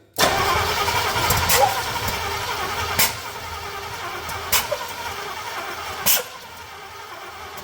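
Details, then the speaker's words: Chevrolet C30 truck engine with ignition parts swapped from another truck, first start attempt; cranking with sharp pops coughing back through the intake about every one and a half seconds, flames out the intake, ignition timing 180 degrees out. "oh we're coming back through the take a little bit I hope we're not 180 out we might be we'll know here in a second"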